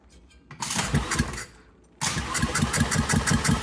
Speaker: 50. 50 is not great. We want to be at least 90.